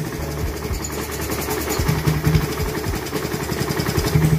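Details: Raider 150 second-gen single-cylinder motorcycle after repair of very loud running and then a no-start: the idle is a steady low thumping about four beats per second with no loud knock; it runs normally but is still smoky.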